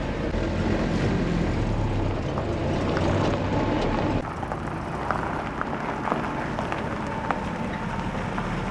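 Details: Willys CJ-2A with its T-90 transmission rebuilt using the cheapest eBay parts, on the 40 mph road test: steady road rumble and drivetrain hum with no clunks or gear pop-out; transmission working totally normally.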